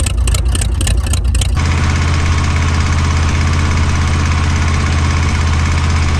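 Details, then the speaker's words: Van engine restarted after reassembly to test a knock repair attempt: rough start settling into heavy steady idle with a dull knock underneath; the knock did not go away, cause not yet found. "and as you can hear right there the engine knock definitely did not go away"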